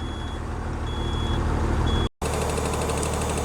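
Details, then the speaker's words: Tata Signa 3718 BS4 tipper with slow air pressure build-up: a quick tak-tak ticking at the unloader valve over idle while the compressor charges the tank. Air dryer unloader valve ticking. "इस गाड़ी का छिकनी यहाँ पे लगा हुआ है और ये आवाज़ कर रही है, टक टक टक टक टक टक ऐसा आवाज़ आ रही है। ये टक टक की आवाज़ का मतलब है एयर कंप्रेसर से हवा आ रही है और वो टैंक के अंदर जा रही है।"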